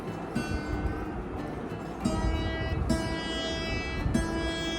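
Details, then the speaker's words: Hagstrom acoustic guitar, nut not glued and too low on the first string; open strings rung with harsh, sitar-like buzz; string buzz from low nut, suggested fix is replacing the nut. "okay can hear it you can hear that the buzzing is quite prominent"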